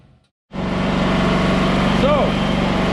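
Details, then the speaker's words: Wen 8750-starting/7000-running-watt gasoline generator, bought as non-running for parts, now starts on its own fuel tank. It runs at a steady, even speed with no misses or knocks, making 243 V at 60 Hz with zero hours. A connection was likely missed at the factory. "so check this out making 243 volts 60 hertz no hours this thing has no run time on it at all"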